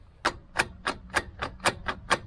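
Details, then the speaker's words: Land Rover Discovery 3 2.7L TDV6 after an engine rebuild and 2000 km, with driveline backlash checked by rocking the marked prop shaft by hand. Sharp metallic clunks, about nine in 2.5 seconds; only a little lash but noisy. Owner suspects a worn transfer case chain; unconfirmed. "this is our backlash it's not a lot it's just noisy it's not a lot so I don't know if the gear if the chain inside is wor out"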